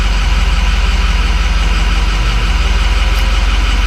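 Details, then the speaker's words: 2006 Ford F250 6.0 Powerstroke diesel just restarted warm, battery voltage low, then 13 with the alternator; even, steady diesel clatter at hot idle, no misses or knocks. Runs perfectly; only issue is long cold crank: normal idle. "I mean, the car runs perfectly fine. Yeah, my only issue right now is just that cold start."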